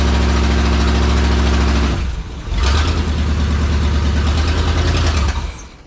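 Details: Abandoned truck, over a decade in the woods, apparently a small-block Chevy, on temporary fuel setup: idle sags almost to a stall around two seconds, recovers unevenly, then dies away; running rough, truck tried to move on trailer, cause unconfirmed.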